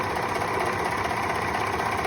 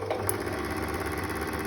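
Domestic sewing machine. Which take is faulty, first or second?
second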